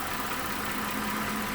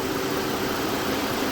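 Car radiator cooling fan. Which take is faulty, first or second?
second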